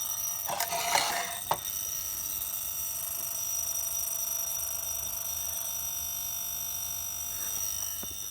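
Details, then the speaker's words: Circa-1970 Buzzamatic battery charger, about 50 years old, repaired and powering electrolysis rust removal (washing soda bath), loud steady electrical buzz with high ringing edge while drawing heavy current after the anode was cleaned; normal transformer hum under load. "I'll just clean the anode, and holy mackerel, is it drawing more current. Look at the bubbles."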